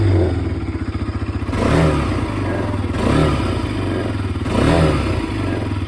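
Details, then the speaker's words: Motorcycle just back from showroom service with body panels hastily and improperly refitted: revs rise and fall with a dry plastic clatter on top. Loose panels vibrate across the whole body, with cracks and widened gaps. "Full body ಎಲ್ಲ vibration sound ಯಾಕೆಂದ್ರೆ ಅವರು ಕರೆಕ್ಟಾಗಿ body fit ಮಾಡಿಲ್ಲ"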